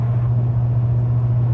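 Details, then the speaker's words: Tuned, deleted L5P Duramax with 10L1000 transmission and 5-inch exhaust, towing a trailer under load at 1,700 rpm in tenth gear: heavy, constant low boom filling the cab. Exhaust drone; locking out tenth raises rpm and reduces it. "If you can't, there's a lot of drone from this exhaust, 5-in exhaust. And what you can do is you can actually lock out tenth and it brings down that drone because it puts you at a higher RPM."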